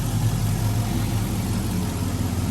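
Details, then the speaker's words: 1979 Toyota pickup with LS V8 swap, Holley Terminator X Max, eBay headers (one possibly barely leaking): low, soft, steady burble at idle, even beat, no ticks or knocks; normal quiet idle. "and you can see it's very quiet. I mean, on the street, unless you're really in it, you don't really know what's in it, you know."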